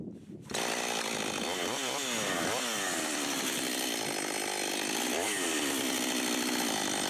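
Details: Husqvarna 562xp AutoTune saw, long unused, after part-throttle self-tune, cutting at about 15°F or colder on cold fuel: fires up and holds a crisp, steady high rev with brief dips as it bites; clean, healthy running.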